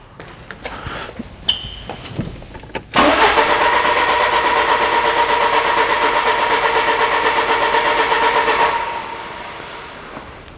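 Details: 2000 Peugeot Partner with a crank no-start, scan tool watching the RPM signal: the starter turns the engine over evenly for about six seconds but it never fires.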